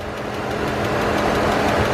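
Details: Dodge Ram 1500 with earlier knocking: steady idle with faint quick light ticking, heard on one side of the block; possibly valvetrain like a lifter, not confirmed, sounds better than before.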